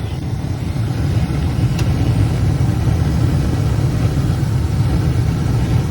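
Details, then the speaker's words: Carrier horizontal 80% efficient gas furnace with AC, made in 2001 (21 years old), in an attic, during a tune-up: steady low even roar, no knocks, rattles or squeals; the unit is running pretty nice. "all right i think that's all for this one this unit uh is running pretty nice"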